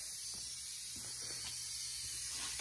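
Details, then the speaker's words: BMW N20 2.0T engine (N20/N26) during a boost leak test, intake pressurised with a tester: only a soft, even airy hiss with a faint low hum at this spot, louder on the other side; a light internal airflow that is normal, no leak. "well you can hear the other side but over here you don't hardly hear anything very very very very uh light and that's normal"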